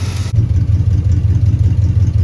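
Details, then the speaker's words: Abandoned 1961 Cadillac being revived: low, steady, even idle with a regular beat and no stumbling after the idle screws were opened from one to two turns out. Before that it kept dying. "yeah that's more like it something tells me this thing won't go nearly as far on a gallon as the power wagon will that's just because flatheads are magic"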